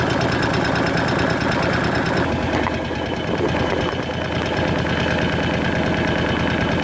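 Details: Kawasaki KVF 750 Brute Force ATV V-twin at idle: light, uneven ticking about three per second over a steady idle, from the top end of the engine, cause not pinned down; engine ticking.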